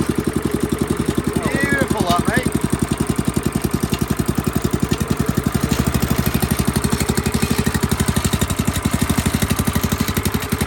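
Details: Small lawnmower engine started on fuel and choke: fires in a quick, even beat that holds steady over the whole run with no misses; sounds healthy.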